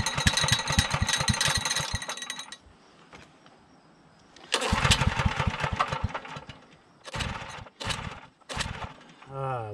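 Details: Generator on start attempts, choke at half, load removed: short bursts of rough running dying within seconds between cranking attempts; it catches but won't keep running, likely fuel-starved.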